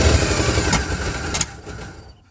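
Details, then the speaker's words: Checker Marathon with a 250 engine, just rescued, which burns oil; vice grips on the coil. Uneven, loping idle with a couple of sharp pops before it stumbles and dies. Suspected to be running lean with timing way off; rough idle. "That's just because running leaner, timing way off. Timing could be way off. That's what it almost sounds like."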